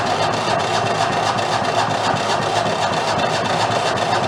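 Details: Renault single-cylinder marine diesel that sat about 20 years in a shed, cranked before the fuel system is hooked up and primed: steady slow chuffing on the starter, nothing catches, no fuel; crank no start, no fuel.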